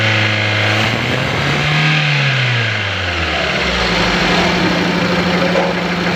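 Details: Petrol engine with the number 1 cylinder not working and the throttle valve not opening: uneven idle, then brief revs that drop back. Knocking, jerky beat from one dead cylinder.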